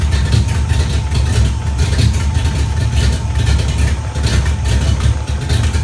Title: Exhaust leak 94 gt